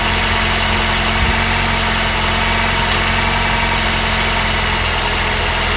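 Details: Honda R20A3 engine at cold idle, mic in engine bay: light rapid tapping over hissy background; suspected cold piston slap, not confirmed, louder in colder weather and disappears after a few minutes.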